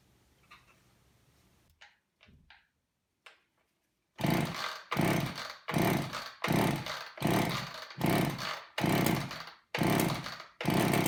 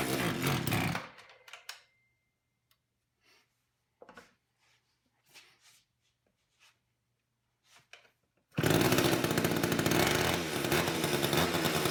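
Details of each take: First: Long-stored old Craftsman two-stroke chainsaw with a gunked carburetor, started on fuel poured in by hand; good compression and spark; repeated surging roars about once a second, won't settle to idle or keep running; carburetor needs cleaning. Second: Long-stored old Craftsman chainsaw, chain off, choked and pulling its own fuel: fires and keeps running at a steady, even, busy buzz with no stumble; carburettor needs only adjustment, not rebuild.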